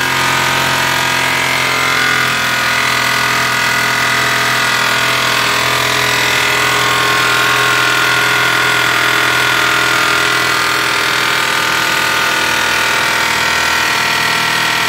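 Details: Petrol car engine started cold after oil check, idling with a coarse, continuous metallic rattle judged to come from the top of the engine; mechanic suspects timing chain rattle, not confirmed.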